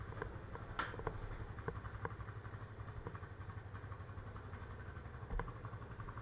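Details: Yamaha FZ25 single started after sitting for 2 months, battery checked: it settles into a soft, steady putter at idle with a few light ticks, running evenly and normally.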